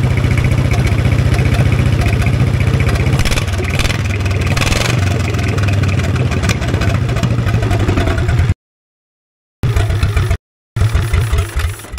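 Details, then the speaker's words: 1960s Caterpillar pony (starting) engine just after carburetor cleaning, running at mid throttle on a roughly 30-second run, not yet warm: steady even firing around 220 a minute with no misses; runs really good. "that was a great success awesome it sounds like it runs really good I'm going to let it cool down for a little bit"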